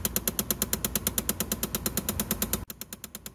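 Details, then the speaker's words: 2011 Chevrolet Impala, key on: rapid even ticking about three per second, sharp plastic clatter behind the dash; blend door actuator behind the glove compartment, found by feel, clicking from stripped gears, passenger side most common. "so we have a problem with a clicking noise which is really common on these automobiles"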